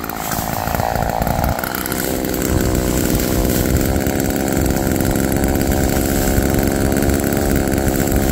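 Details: Roadside-found Homelite chainsaw after carburetor rework, cold-started after sitting, cutting wood: steady high two-stroke howl sags only slightly as the chain bites, pulling evenly. Chain oiling well; owner suspects slightly rich running, bogging in larger logs then recovering.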